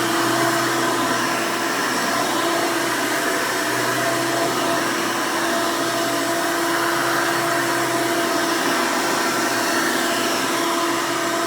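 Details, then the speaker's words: 1992 Hoover Elite II Total System Performance 650 upright vacuum (U4689-910, square hood, on-board flexible hose), motor untouched since purchase, running: loud, steady high motor roar with even tone, no surging, rattling or grinding; motor runs smoothly. "and typical elite fashion this thing is pretty loud when it's running so headphone users i would advise turning down your volume for this part"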